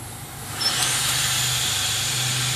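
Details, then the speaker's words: During boost leak testing of a turbo car's intake, a sharp hiss starts suddenly and holds steady. The air is escaping from the boost leak tester itself, a tool failure, not the engine. "looks like it's coming out the tool yep well I got another boost leak tester we can try to use that one instead"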